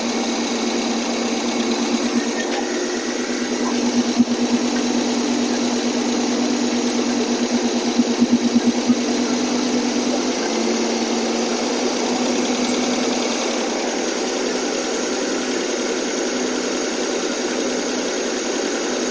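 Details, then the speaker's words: AMC 287 V8, carbureted, after cleaning the carburetor and fixing exhaust leaks: steady fast idle around 1200–1300 rpm on warm-up with the choke, no exhaust leak, running much better. "they okay we're about 12200 fast idle now actually about 13 might have adjust that a little bit later it sound so much better already no exhaust leak Eng it sounds great"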